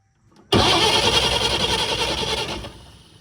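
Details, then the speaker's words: 1950 Chevrolet 4400 dump truck being revived after years of sitting, cold start in neutral with clutch in, gas pumped a couple times, choke on: short silence, starter catches, loud rough run easing down within two seconds; normal cold start. "It's a neutral, clutch is in. I'm gonna romp on the gas a couple times. And start."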